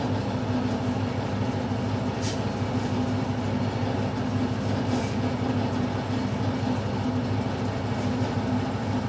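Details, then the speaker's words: Milling machine taking a heavy 1 mm cut, with about 1.75 mm left to bring the part to 30 mm; dense low rumble with a steady churning rhythm, working hard but sounding healthy. "So I'm going to hoof into it now with a 1 millimetre cut. Just go one, and you'll hear the difference in the machine."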